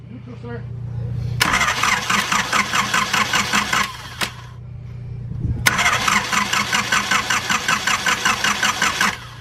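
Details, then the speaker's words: Junkyard Honda CRX: two long cranking spells, starter chugging about two and a half beats per second, never catching; no fuel heard in the line at key-on, fuel relay suspected. "off and on yeah I don't hear it in the line either so we don't get feel we don't have feel"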